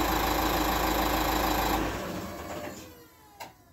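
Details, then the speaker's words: 2010 Dacia Duster 1.5 dCi (K9K 896) idling after timing belt, water pump, thermostat and temperature sensor replacement: an even, steady diesel clatter with no knocks, then it is switched off. Relay clicks are normal; a normal idle. "donc voilà donc vous avez vu la voiture tourne bien il y a absolument aucun bruit ça ce que vous entendez c'est normal c'est les relais c'est les machins on s'en occupe pas"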